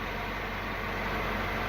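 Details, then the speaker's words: Peugeot 3008 THP petrol engine after a basic oil change: smooth, even idle, no deep knock or clatter; normal idle. "motorzinho PHP Redondo ligando Sereno sim sem som grave né"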